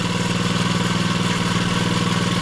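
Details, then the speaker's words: SSR pit bike (72cc or possibly 50, unsure) that sat for unknown years, kick-started without choke and with oil full: steady, even idle with regular firing pulses and no misses or stumbles. Normal idle. "kick this thing off please run oh and it's not even choked sounds good"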